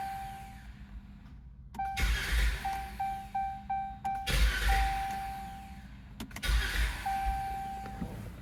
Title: Chrysler 200 short crank no start (PCM ground problem)